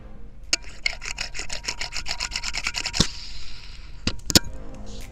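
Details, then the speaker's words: 2016 Shimano Vanquish spinning reel, line roller rubbed with a rubber band, mic close: quick evenly spaced dry rasps with each stroke, indicating a rough, worn line roller bearing. "all right so immediately that's your first tell another tell is if it's loud when you're reeling up your bait or you have pressure on the line but it's not loud at all when you spin it with no lure on it"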